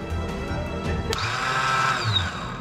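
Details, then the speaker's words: Kawasaki ZX6R engine swapped into a Reliant, first start attempt with starter jumped straight to battery: short clicks then a thin high whir spinning up and down with no cranking; starter spinning but not engaging the flywheel. "so we just jumped the St motor and it's just spinning it's not actually engaging the flywheel"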